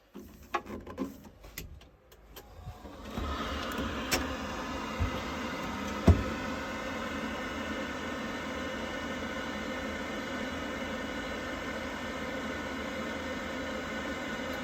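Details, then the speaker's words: Worcester Bosch 30i ErP combi boiler, about five years old, after refitting the dislodged air intake silencer that caused loud banging; a few clicks, then the burner lights into a smooth steady roar with no banging, running normally. "Right, with that all back in, all seems to sound fine now. Happy days."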